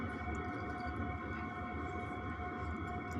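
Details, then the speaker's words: Webasto heater in a converted van, now at temperature after about 3 minutes and in regulation mode: only a soft, steady low whistle over a quiet rumble. Normal running. "Ça y est, il commence à redescendre et après, tu l'entends quasiment plus. Et ça fait vraiment un tout petit sifflement de rien."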